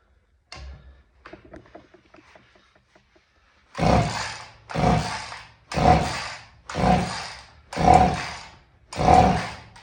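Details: Vintage Husqvarna 50 chainsaw, about 50cc, unrun about 15 years, 80 PSI compression: six slow pull-cord surges with airy whoosh, no firing. Low compression; owner suspects weak or stuck rings can't draw fuel.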